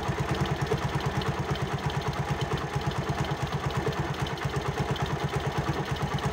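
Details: Honda CD 70 single-cylinder motorcycle at idle: even single-cylinder beat, about three pulses a second, with no chain rattle or ticking; clean and healthy.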